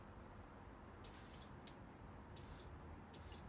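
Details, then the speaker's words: 1983 Ferrari 308 QV V8, ignition on, fuel metering unit plate pressed down slightly: short hissing buzz bursts as the fuel pump kicks on each press, plate returning with pressure; pump and metering unit working normally. "What should happen is if I push the plate down slightly, we should hear the fuel pump kick"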